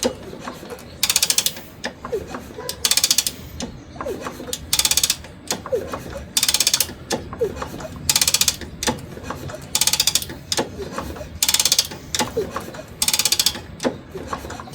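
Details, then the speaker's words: 1963 Honda CA95 Benly barn-find, both plugs out (NGK D8HA), fluid squirted into the cylinders, ignition off with no key. Repeated kicks about every two seconds give a bright ratcheting whir with no binding or scraping. Normal cranking. "All right, let's give it a little bit of a turn over. Spins over nice and smooth."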